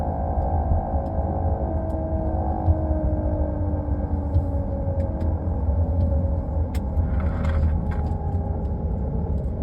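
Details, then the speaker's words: Porsche Cayenne / VW Touareg (2011+) driveline noise above 27 km/h from vehicle center: steady low droning hum, pitch following road speed; confirmed on lift with screwdriver as bad driveshaft center support bearing (7P0598101), replaced. "so confirmed this bearing in here is bad"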